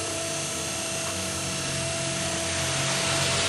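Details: ZAZ Tavria/Slavuta two-speed permanent-magnet windshield wiper motor, bench-tested after repair for sticking in the left position with a crackling noise: steady, even electric hum with a clean high buzz, no grinding or clicking; runs normally.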